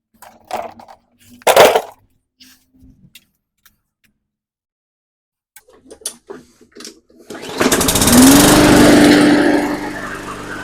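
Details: Briggs & Stratton 300E 125cc on a Hyper Tough mower that started then stalled, after carb and fuel system cleaning: a few quiet clicks, then catches and settles into a steady, even running note; runs normally.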